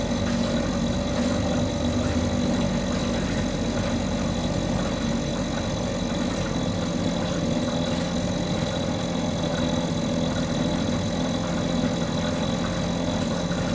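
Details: Mercury 2.5 hp two-stroke outboard that sits for long periods and wouldn't stay running, now running after carburetor troubleshooting: buzzy, even, constant speed with no stumbling or surging, holding at various RPMs; normal running.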